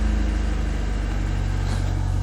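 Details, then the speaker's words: Classic carburetted car warming up on a warm day: choke backed to a quarter, revs drop to about 1,400 rpm, smooth steady low hum with no shake or stumble; normal warm-up idle. "RPMs go down. And it's just about no less than that, otherwise it will start getting a bit shaky. When it's nice and smooth, it means the engine's happy."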